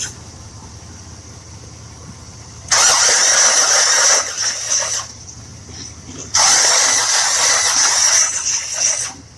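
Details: 1966 Buick Riviera, 425 Nailhead V8, crank no start, spark plugs removed after a 12-hour ATF soak: two bursts of dry, hissing cranking about two seconds each, fluid spitting from the plug holes; no start.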